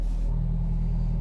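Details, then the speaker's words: Hyundai Getz after replacing IACV and TPS (blamed for RPM jumping on restart): restart idles near 1,200 rpm with headlights and aircon on, a steady even low drone with no hunting or dips; normal idle. "So normally pagkaka-start niya nasa 1.2. Ayan. Naka-headlight tayo, aircon."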